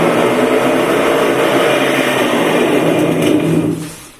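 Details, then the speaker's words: Washing machine on spin with bad drum bearings before repair: loud coarse rumbling roar that holds steady then dies away as the drum slows; bearings, mechanism and seal to be replaced. "pessoal hoje eu vou montar essa máquina tá com os rolamento ruim presta atenção barulho que tá vou tentar arrumar ela olha o barulho"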